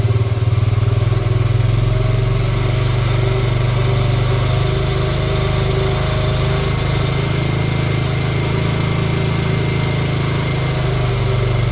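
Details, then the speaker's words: 1986 Honda TRX70 ATV, first start in years, leaking some gas, air-fuel mixture screw slightly tuned: small single ticking over at a steady, even idle with no misses; normal idle. "nice all right well there we have it it actually runs"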